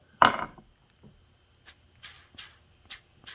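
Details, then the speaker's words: Husqvarna 268XP chainsaw bottom end during rebuild, crankshaft flicked by hand: a sharp knock then gritty rasps from a bad, rough main bearing that can also be felt. "that's a bad bearing you can feel it too"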